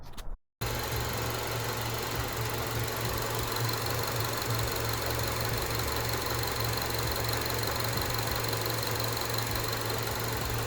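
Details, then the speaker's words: Acura RSX, after cleaning the idle air control valve to fix a low, rough, stalling idle: a steady, even idle hum holds at about 700 rpm without drooping or hunting; the engine now idles properly. "All right, and after everything is said and done, RPMs are sitting right around 700, perfect, right where they should be, solid. It's no longer drooping down, it's no longer hunting, trying to go up and down. It's right in the pocket, purring like a kitten."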